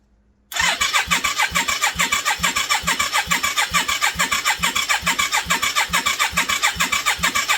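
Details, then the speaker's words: 1989 Yamaha Virago 535, parked four years, test-start with replacement carbs on full choke: steady fast cranking at about two compression beats a second, no firing or catching; it turns over but won't start. "Right, I'm not seeing any fuel leaks, so we'll give her a little crank on full choke."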